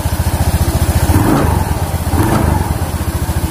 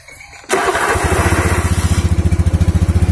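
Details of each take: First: Honda Beat scooter with open CVT cover: on revving, a faint crackle rides each rev and the shaft area wobbles slightly; the noise comes from the pulley, not the bearing first suspected, likely worn bearings between the pulley halves. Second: Honda Beat scooter after CVT pulley service, test after reassembly: starts at once and settles into an even, steady putter with no rattle or scrape; the earlier crackle is gone and it runs smooth.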